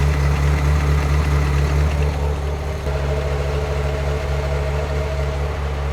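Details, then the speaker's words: 1994 Euro-spec Ferrari F355 GTS, 80,000 miles, Capristo exhaust and high-flow cats: warm V8 idle rumbles, wavers and stumbles unevenly rather than holding steady; running rich. "you could hear that stumble that I mentioned on the test drive when it was just sitting there idling. It just kind of has like a, not a miss, but the idle is not as smo"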